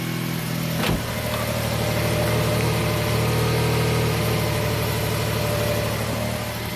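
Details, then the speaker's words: 2000 Toyota Sienna, 1MZ V6 on original drivetrain at 540,446 miles, P0305 set, blinking check engine light: idle with uneven stumbling beat, intermittent misfire while scoping injector 5 control wire and AM2 fuse current. "definitely misfiring intermittently and we'll shut her down"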